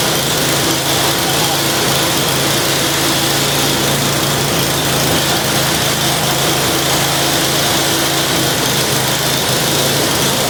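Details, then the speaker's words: Curb-find snow blower, small single-cylinder engine, running after a brake-cleaner prime at start: loud, steady, even buzz with no misses or surging; normal running, before carb, fuel system, pull cord and plug repairs. "I think everything might actually work on this thing. Um, that's kind of awesome. Well, that was a really easy will it run."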